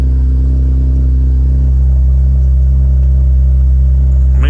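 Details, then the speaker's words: 2012 Camaro started with no exhaust fitted, after HVAC blend door replacement and blend door relearn: deep, very loud, steady unmuffled idle rumble from the missing exhaust. "and see if we got balanced air. Of course, we don't have an exhaust on this yet."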